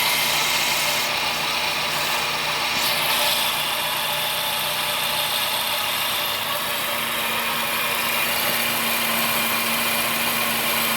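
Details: Vehicle that drove through a flooded street and has made this noise ever since; owner unsure of the cause. Idle carries a harsh, hissy rasp with an uneven tick around four per second: abnormal engine noise at idle.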